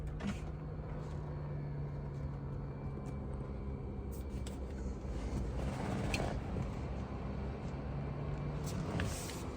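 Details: 2022 Tesla Model 3 RWD with heat pump, defrost on, recorded from outside on a warm day. Quiet, steady low hum with a faint even tone and soft clicks; normal heat pump defrost operation.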